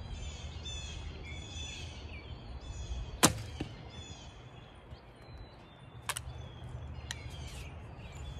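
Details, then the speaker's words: ILF bow with Hoyt Satori and Carbon Z after a noise and loose-parts check and adjustment, shot outdoors: a single dull thump with a brief string twang that dies quickly over birdsong. Quiet shot, judged good enough for hunting. "okay i think it's fairly quiet good enough for hunting once"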